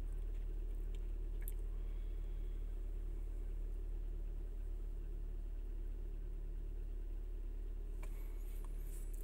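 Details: Chrysler/Dodge/Jeep with code P2173 (vacuum leak, high airflow) high idle when cold: deep steady idle rumble, no hunting, settling below 1000 to about 750 rpm as it warms.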